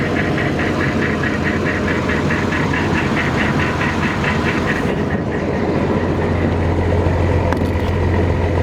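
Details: Massey Ferguson 760 diesel tractor fed by an electric fuel pump: settles into a steady, even idle; the engine-mounted lift pump loses prime back to the tank and air leaks at the injection lines are present; lift pump fault.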